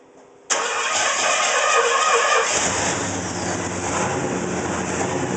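Engine cranks and catches, then settles into an idle that wavers and pulses unevenly instead of holding steady: a rough idle.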